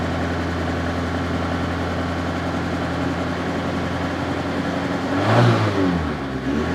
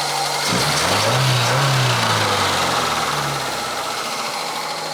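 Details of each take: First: Opel Ascona petrol engine still running on old fuel, before an oil change: an uneven, lumpy idle with a brief rev that won't settle. It is suspected to clear once the old fuel is used up. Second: Opel Ascona revival, carbureted, after fresh fuel and refitted fuel lines and a vacuum trick to clear carburetor jets: engine catches, revs briefly, then settles into smooth regular idle with steady pulses, no stumbling; normal idle.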